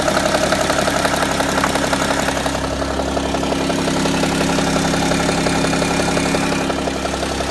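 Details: BMW E60 at idle: quick, fairly regular tapping knock about three per second over the engine hum; abnormal, cause not pinned down.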